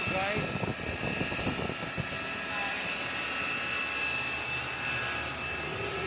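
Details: 2013 Chevrolet Malibu with a customer's humming noise complaint: a steady high hum rides over the engine's running noise without changing pitch; timing chain noise is suspected, not confirmed.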